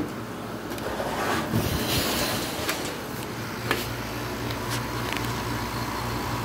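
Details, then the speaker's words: 1986 Kenmore air conditioner on low fan, outlet about 52–53 °F; steady low hum with an even fan rush and a few handling knocks; good running unit of average efficiency; normal running. "so it's a pretty good running unit high efficiency i don't know about all that i mean it doesn't really matter it's about average efficiency"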